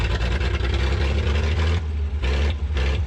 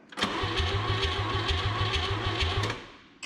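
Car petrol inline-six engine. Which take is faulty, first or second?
second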